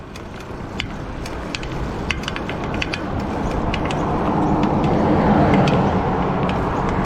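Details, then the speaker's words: Mountain bike front hub: sharp metallic pings, about three to four a second, over the whir of the spinning wheel from damaged wheel bearings; cones seem a bit tight with notching felt. "That's the sound of wheel bearings with a problem. It's probably not going to get any better."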